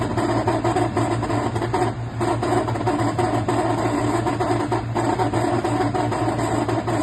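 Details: NOMA 10000 BTU portable air conditioner: steady compressor and fan hum with a faint rough grinding that comes and goes over a few seconds; the cause is undetermined.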